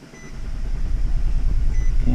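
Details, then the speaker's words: 2012 Nissan Sentra that won't start cold and runs very lean when it does: on a cold crank the starter turns steadily but the engine never fires, showing one injector pulse. "cold crank no start let's see what happens"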